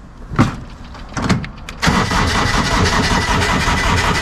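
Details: GR2100 diesel tractor (second unit being fixed up to sell, driveshaft straightened but unbalanced): a couple of cranking tries, then the diesel catches and holds a steady, even run with no knocking or shudder; normal running.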